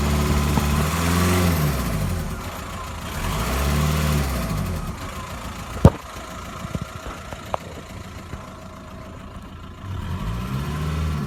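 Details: VW Golf 1.9 TDI diesel idle rising and falling in slow uneven swells, misfire-like, coming and going with no warning lights, gone after a 9 to 10 mile drive; cause unknown.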